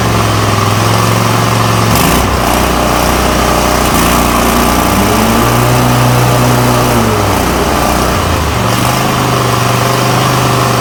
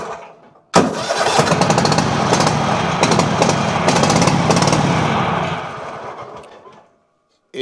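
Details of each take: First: Toro Titan MX5400 with Kohler Confidant 23 hp V-twin after ignition coil replacement, blades engaged: strong, even drone dipping briefly under load and recovering quickly; full power, no more bogging or rough running. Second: Toro Titan MX5400 with Kohler Confidant 23 hp V-twin, one spark plug unplugged: catches, runs rough on the other cylinder, then cuts out and dies; suspected bad plug, ignition coil or valve on that side; bogs under load.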